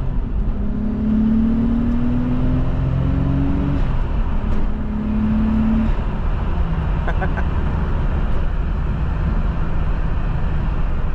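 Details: Nissan Skyline R32 RB25 turbo engine, after replacing manifold and turbo gaskets (MLS) and split vacuum lines for a boost leak: engine note climbs smoothly through pulls, no squeaks or hissing; normal acceleration.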